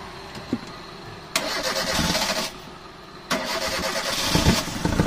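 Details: 2010 Kia Rio manual, not run for over two months: starter cranks briefly, engine catches into an even idle, pausing once before a second clean start, now running again.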